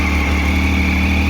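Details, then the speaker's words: Triumph Speed Triple motorcycle, owner complains it runs abnormally and suddenly stalls; mechanic suspects an intake air leak: steady even engine drone that abruptly cuts out and dies, before throttle-body sync and position sensor adjustment. "Всем привет Триумф 3 Triple ненормальная работа двигателя и жалобы владельца на то что внезапно может заглохнуть"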